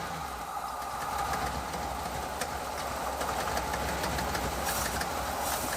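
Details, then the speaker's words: 1986 Ford F150 5.0 V8 EFI, first run after 25 years sitting, headers, glass packs and side pipes, slight exhaust leak; loud lumpy idle near 700 rpm with even exhaust pulse; running normally. "Oh yeah, brappity brap brap. Looks like we're idling about, well, 700 RPMs. We could maybe turn that up a little bit."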